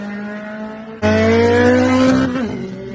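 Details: 2013–2017 Honda Accord idling with a steady whine that climbs in pitch and grows louder when revved, then falls back; whining noise from the belt tensioner, fixed by tensioner replacement.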